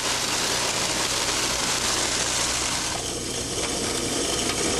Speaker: however as we increase the pressure drop to approximately 75 to 80 psid a moderate level of cavitation exists notice the frothy occurrence of the water just downstream of the valve